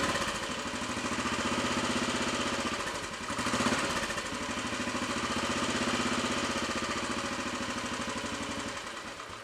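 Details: Royal Enfield Bullet 500 single after head gasket replacement, exhaust blow at head fixed, baffle removed and carb needle raised, just started on choke: slow, even thump with fuller exhaust boom, steady; normal idle.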